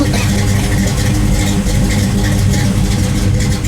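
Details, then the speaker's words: 1973 Chevrolet Camaro Z28 RS V8 idling after fitting new 1.6-ratio full roller rockers in place of stamped steel ones; deep choppy even lope, no ticks or knocks; normal lumpy idle. "Now I've got the new roller rockers with a 1.6 ratio on. I think the car will be maybe a little bit faster, but it's going to sound a lot cooler. As you can tell, it sounds pretty good."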